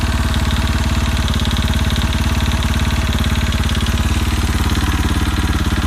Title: KTM RFS knocking sound